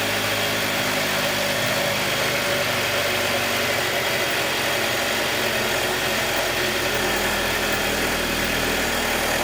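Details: 2021 Jeep Wrangler 2.0 petrol at cold idle: steady run with light, fast ticking that lasts about 90 seconds on every cold start until the cold air intake takes a deep breath and the engine settles to normal.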